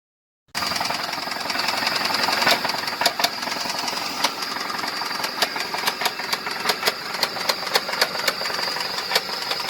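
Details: 2005 Ford F-150 petrol V8 with 334,000 miles at idle: sharp, uneven engine knocking about three times a second.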